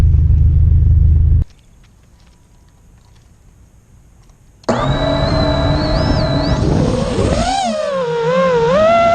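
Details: After two failing ESCs were replaced with DYS 35A ESCs, the quad with new iFlight motors is in flight. Its motor whine climbs and dips smoothly with throttle, with no grinding, stutter, frame vibration or resonance. The motors spin faster and sound healthy.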